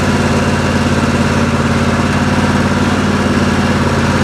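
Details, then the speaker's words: Craftsman LT1000 mower with a 27 HP Briggs & Stratton V-twin: even, steady beat at about 214 pulses a minute, no misfires or knocks; runs smoothly. "The lawnmower now runs like a champ, starts right up, and so at this point I have a 27 horsepower V-twin engine in this Craftsman lawnmower, and it goes just fine."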